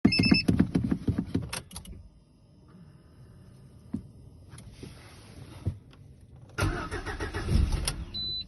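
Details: Lada Granta, 16-valve 127 engine, cold start: starter cranks in short bursts with pauses, also tried with throttle, engine never catches; cold no-start, repeated cranking.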